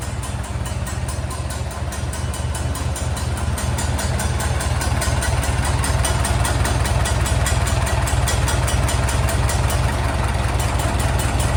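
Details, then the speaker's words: Farmall M tractor with a new reproduction muffler replacing one blown out on the bottom: steady, even low chug about two and a half beats a second, no knocks or exhaust blowing; healthy idle. "I also put a new muffler on this M. My old one blew out on the bottom. This is one of the reproduction styles from Steiner Tractor Parts and it sounds pretty good, I think."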